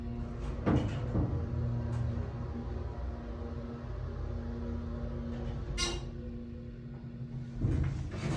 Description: Nice motor on this Dover elevator but couldn't quite figure out the knocking noises.